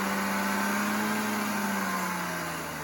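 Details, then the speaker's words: BMW E36 petrol engine settling from a rev toward idle: light, fast ticking under the hum that disappears above about 2,500–3,000 rpm; source was a loose water pump pulley with two loose bolts. "If you can hear that loud noise coming from the engine, that is a ticking noise."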